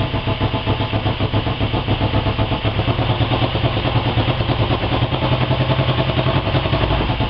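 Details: Honda 250 fitted with a CB350 engine, first start after engine rebuild: steady, even low thumping idle with no knocks, ticks or misses; runs smoothly and normally.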